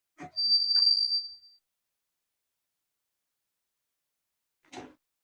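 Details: Pedal sealer machine with cutting unit, timer raised from 0.5 to 0.7 for a darker seal on a roll-form pouch: a single clear high beep of about a second marks the sealing cycle, then a soft click. Working normally.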